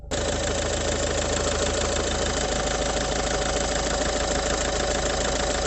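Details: Engine idling with the bonnet open: a fast, uneven metallic rattle of about three per second rides over a steady idle. It goes away when the clutch is pressed and gets loud when driving at steady light throttle; source unclear.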